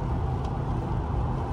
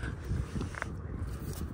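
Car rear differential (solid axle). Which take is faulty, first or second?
second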